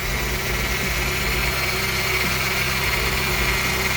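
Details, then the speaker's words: JDM F23A engine swapped into 1998 Honda Odyssey, second start after fresh fluids, no valve adjustment done, cold: steady, even idle with smooth low rumble, no knocking or ticking; sounds slightly loud but healthy. "second start fired up seems to be running really good sounds good I did not do a valve adjustment but it sounds okay to me"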